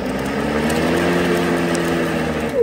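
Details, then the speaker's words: Ryobi 40 V lawn mower that would not start with full battery, after fix, run on 2 Ah battery with key inserted: steady even motor hum with smooth whirr, no surging or knocking, winding down cleanly; mower running properly. "And there we go. So the mower is fixed, just gotta put it back together."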